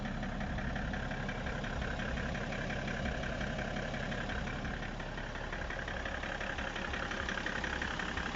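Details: BMW E60 535d diesel at idle with a fairly regular knock near three per second running through it. The source is unclear, and the owner asks whether the engine is running normally.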